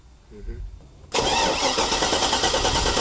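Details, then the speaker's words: Chevy 6.0L truck that died on a test drive, battery dying: engine cranks steadily but never fires; injection pulse present yet no spark, suspected coils dropping out electrically. "all right yeah our battery's dying and there is not spark to have control which i do an injection pulse and not have spark is highly unusual"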